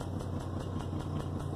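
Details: 2003 GMC Envoy 4.2 V6 petrol, sudden terrible misfire after exhaust manifold replacement: low, uneven, lumpy stumbling idle with engine shaking, heard at exhaust; cause found to be a bad coil pack, plugs also replaced: misfire, rough idle.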